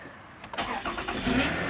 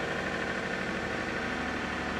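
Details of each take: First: 2007 Toyota Camry V6 cold start at 27°F. Short crank with a metallic whirr lingering as the engine catches; owner expects the starter pinion gear to stick. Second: 2007 Toyota Camry V6 cold start at 27°F: steady, even idle with smooth continuous hum, no knocks or ticks; starter pinion possibly sticking briefly, otherwise no problem.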